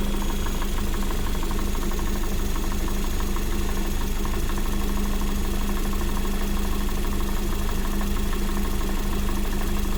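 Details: Lada Vesta SW Cross 1.8, built January 2019, 29,000 mileage: steady idle with a sharp, regular knock at about three per second over the engine hum; engine knock, source not pinned down.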